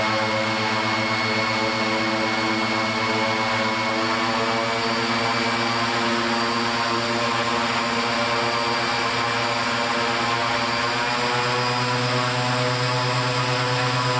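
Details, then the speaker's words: Aircraft engine on the Raptor prototype during a fuel-burn test run, warming up then briefly run to just under 3300 rpm and back to 2700 rpm; steady even propeller drone, smooth firing, healthy run-up. "so here's the engine and warming up and I'll let you have a bit of a listen to it as I bring it up to just a quick power under 30 300 rpm and then bring it back to the 27"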